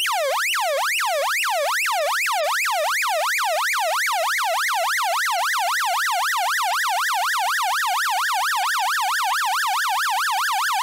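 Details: 6A/12860 stall warning tone generator, early 1970s, possibly from Avro Shackleton prototype WL745, audio recorded by direct connection to the camera: clean warbling tone sweeping up and down over two times a second, no dropouts; working properly.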